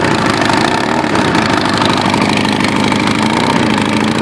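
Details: Kawasaki Ninja ZX9R with Viper exhaust, pulled and broken after being hit by a car on the right side: loud raspy idle with harsh sputtering bark from the exhaust leak.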